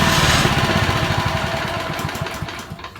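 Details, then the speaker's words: Honda walk-behind mower (owned since 1993) after fixing an oil leak that soaked the clutch, clutch and blade reinstalled: small single-cylinder putters evenly and cleanly, then winds down, no knocks or rattles; runs fine. "Okay, seems like it's working fine."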